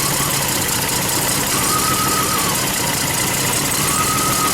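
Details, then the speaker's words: Lexus RX 300 V6 idling with a misfire: uneven, loping, stumbling note, with a clear change as a coil plug is unplugged to test cylinders; one cylinder is not operating properly. "Oh, did you see that? Listen, it makes a definite change in the note of the engine. You hear it?"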